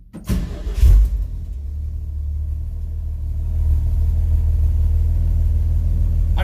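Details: 1963 Chevrolet C10 factory short bed, all original, about 50 degrees out, cold start: quick crank, catches right away, settles into smooth steady low idle that slowly firms up; healthy cold start.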